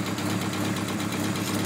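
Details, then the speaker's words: Mk2 VW Golf with draw-through turbo, Weber 45 carb, 268/260 split-profile G60 cam and tacked-up exhaust, idling: sharp rhythmic puffing tick on every exhaust pulse, a big jumble of exhaust blows; exhaust leaking a lot. "sounds like a big jumble of exhaust blows it yeah it's playing a lot"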